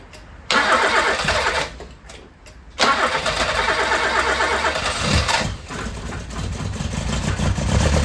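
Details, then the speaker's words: 1980s Toyota Tercel barn find, carb fed fuel directly by gravity with the fuel pump line disconnected: cranks briefly, catches after a couple of tries, then settles into a steady idle with no misfire; normal idle. "all right so it sounds pretty sweet and good"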